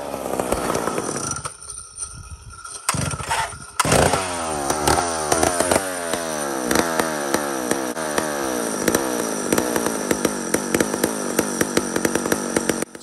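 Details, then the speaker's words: Mac 125 SP old two-stroke chainsaw being tuned, carb settling and letting fuel through passages better; catches and stutters, then climbs to steady high buzz with odd blips: carburetor being tuned. "the carburetor is starting to settle soften up and let fuel travel through its passages more properly now"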